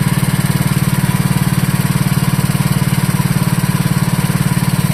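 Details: Wisconsin Model AB single-cylinder engine running on fuel from the tank after flooding, with newly added muffler: crisp, even thumping at a steady beat, no misses or rattles; normal running, fuel system still needs work.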